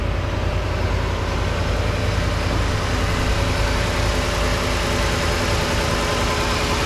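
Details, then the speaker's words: 2010 Ford F-150 5.4 V8, dealer said no-start needed new engine; first start after plugs and coils refitted: deep steady idle, even beat, no knocking or misfire; runs smoothly. "seems to be running pretty good Let me Give a Little Bit of RPMs here"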